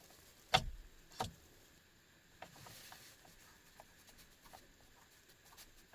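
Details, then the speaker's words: 2011 GMC Sierra that won't crank after the owner pulled the backup-lamp fuse for backup lights staying on, with the key on: two sharp clicks then faint ticking as a relay chatters, no crank and no check engine light. "I hear a relay clicking but I don't see a check engine light listen for the fuel pump Prime"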